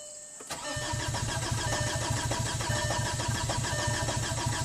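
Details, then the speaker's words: 2005 VW Passat TDI diesel, crank no-start after owner rebuilt engine and transmission; coolant, intake air, exhaust gas temperature and boost sensors unplugged, codes stored. Starter cranks steadily and consistently, about three and a half beats a second, engine never catches. "it cranks it seems to crank pretty uh consistently"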